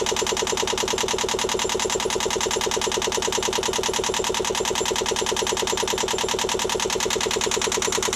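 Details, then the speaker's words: Newly installed Yanmar 2GM20F diesel in a Prout catamaran, cooling water drawn from a bucket: steady, even chug at about two beats a second with loud, sharp exhaust pulses; healthy idle, no knocks or misses. "So far, so good. Is this an omen? Just got the engine running. Double rainbow there. Yeah, we're up and running."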